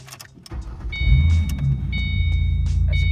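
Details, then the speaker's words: 2005-09 Mustang after EGR valve replacement and carb cleaner in throttle body, restart after 30 seconds off: brief crank catches quickly and settles into steady even idle, door chime pinging; starts cleanly. "Now let me just wait 30 seconds and let me turn it off, then turn it right back on. But when I turn it on, it's gonna turn on correctly."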